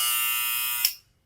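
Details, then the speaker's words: Barber clipper with magnetic motor after maintenance, blades correctly aligned: high steady buzz cutting off cleanly at the switch, no rattle or uneven hum; naturally noisy but working properly. "stas máquinas son muy ruidosas, pero pues hacen un excelente trabajo."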